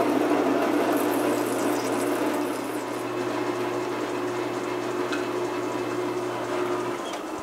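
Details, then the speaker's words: Metal lathe parting cut with cut-off blade holder and plenty of oil: steady spindle hum with even cutting hiss, no squeal or chatter; smooth cut-off before trying a faster feed rate. "we go a smooth cut off for basically let's try a slightly faster feed rate see what happens"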